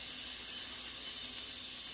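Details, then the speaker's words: SodaStream CO2 cylinder, freezer-chilled, on the fill adapter: steady thin high hiss of gas escaping at the fitting; owner suspects the O-rings are poorly seated and rotates the cylinder. "See, I can hear a leak. I don't like that one. So I'm gonna rotate a little bit. Maybe my O-rings are low on seated, who knows?"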